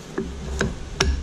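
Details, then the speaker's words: Jacobs collet chuck on a D1-3 lathe mount holding 5/8 in drill rod: three sharp knocks about 0.4 s apart as the chuck spins up and seats; the normal, desired locking action. "kind of show you where i'm at hear that knocking that's desired okay it's a 5 8 piece of drill rod no problem"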